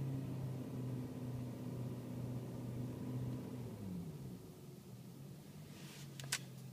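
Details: BMW E39 M5 at idle: low, even droning hum with a faint buzzy vibration underneath; the cause of the vibration is unclear.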